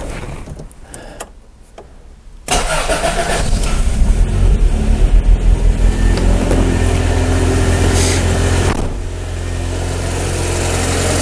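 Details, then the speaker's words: Project car started after fitting a new battery (old one had trouble starting): brief crank, engine catches promptly and settles into a steady even idle; clean healthy start. "I'm going to let the car run right now and then can see if there's anything leaking. Let it heat up and open up a door. Okay folks, things are looking really well."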